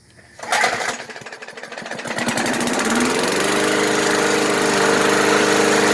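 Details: Murray 20" Select mower, Briggs & Stratton engine with HD-30 oil, after cleaning, fresh fuel and regapping coil to 0.004 in: pull-start catch, brief climb, then steady even buzz without surging; sounds brand-new.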